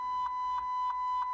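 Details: 2005 Chrysler PT Cruiser with no crank, no start and a dead instrument cluster: a steady high chime pulses about three times a second, cutting in and out as the ignition switch is moved; the ignition switch is to be replaced.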